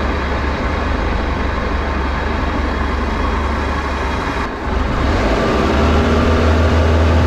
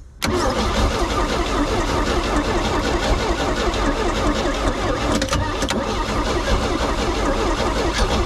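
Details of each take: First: Flood-washed Bayliner boat, alternator overcharging 16 volts, hull taking on water, at full throttle: steady deep drone with a brief dip, then smooth again; running good. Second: Flood-washed Bayliner boat engine starting on starting fluid after getting spark at the points: loud ragged running with sharp pops, backfiring through the intake; oil milky, fuel smells half usable.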